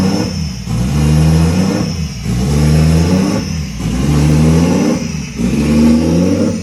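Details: Scion FR-S with a 1JZ-GTE VVTi swap on first start: the revs rise and fall steadily about every 1.5 seconds at idle. The bad idle control valve is stuck open, so the idle cannot be controlled.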